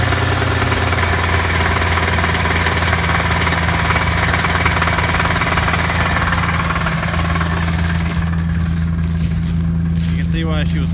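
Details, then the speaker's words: Cold start of a V6 automatic Camaro parked for a year: a rough, low idle with a deep, repetitive knock beneath it; a bad bottom-end rod knock, not considered worth fixing. "it's got a real bad knock in the bottom end but it's just not worth it to fix it"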